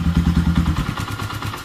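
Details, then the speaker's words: Honda CB250 motorcycle that makes a strange dragging noise only when cold, warmed after about 10 minutes running: even low thumping idle, no valve noise, dragging or knocking; normal warm idle, cause still unexplained. "Solo hay ruido de motor nítido ni ruido de válvulas ni arrastre ni golpe ni nada"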